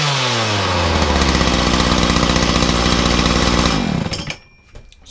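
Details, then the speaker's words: Makita DPC6430 two-stroke disc cutter, cold start on choke and decompression after carburetor tuning and filters refitted, no blade: high steady full-throttle scream without bogging, winds down cleanly; idles and runs properly. "So it's now actually idling as it should do and running flat out without bogging."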